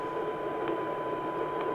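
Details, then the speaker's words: Yaesu FT-2312 1.2GHz transceiver receiving a modulated signal-generator test tone at 1298: a steady tone under a loud, constant hiss. The receiver noise floor is far too high, VCO signal problem suspected. "There is a tone and apart from the tone there should be nothing audible but we have here a very powerful background, let's say it is a noise background, a large noise"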